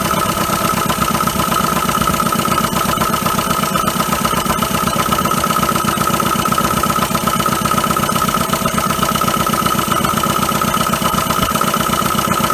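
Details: 1980 Dodge Colt Challenger, carbureted, sat 15–20 years, mechanical fuel pump on a gas can not filling the float bowl: uneven pulsing idle about four beats a second under a thin steady whine, struggling; fuel starvation suspected, unconfirmed.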